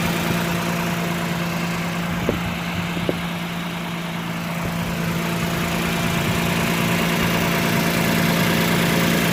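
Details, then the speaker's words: 2009 Toyota Land Cruiser GXR 1GR V6 at smooth idle: quick, even puffing tick about three per second from a tiny exhaust leak below the manifold on the left side of the engine, near the lower downpipe. "فراح اشغل الموتر حتى تكون الصوره واضحه في صوت تفتفه من هنا او من اسفل اسفل المصاري"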